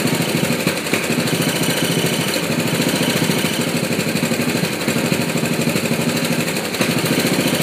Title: Misfiring mower